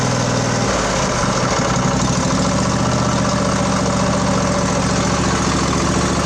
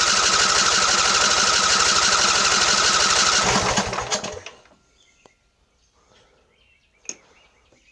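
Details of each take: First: Craftsman LT1000 20 hp twin riding mower after carburetor repair, fuel solenoid now clicking, carb primed, new plugs, started without choke: brief uneven catch then steady, smooth idle with even low throb; running properly. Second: Craftsman LT1000 20 hp riding mower; starter cranks steadily about four beats a second, engine never fires; fuel contaminated with water, draining half gas half water, tank must be removed and cleaned.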